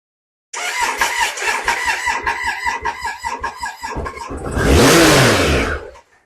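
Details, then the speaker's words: Triumph Sprint 955i non-runner with starting fluid sprayed into the intakes: the starter cranks evenly for several seconds, then the engine catches with a brief roaring rev before dying. A failed fuel pump is suspected. "Wow. Okay, she roared. Okay, good sign. She is starting."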